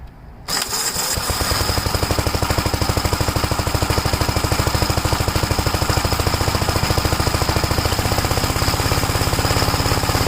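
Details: 1961 Gravely Model L walk-behind tractor, bought running, cold, started without choke: single-cylinder fires with a bang, then steady even thump about three per second, no misses; normal running.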